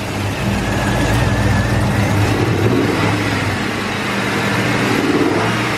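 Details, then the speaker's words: LS-swapped Cutlass V8 during a dyno tune: revs and drops back to idle with an uneven, stumbling beat, hesitation and a misfire audible through the throttle body; cylinder temperatures to be probed to find it. "comes right back down to idle but it's definitely got a hesitation and you can hear it misfiring through the throttle body here"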